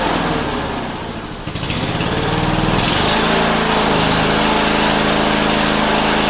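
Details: Honda HRU196 mower after carburetor cleaning, reassembly and a fix for a long-standing fuel restriction: catches after a rough start, then settles into a strong, smooth, even high-rev run with no misfires; runs better than in a long time.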